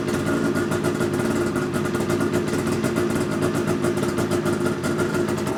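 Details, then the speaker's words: 2009 Ski-Doo GTX 600 E-TEC 50th anniversary edition, first start after cranking attempts; loud raspy two-stroke buzz with crisp popping at a fast idle; too loud because an exhaust part isn't fully fitted, causing an exhaust leak. "me is a little loud because I don't have this on all the way"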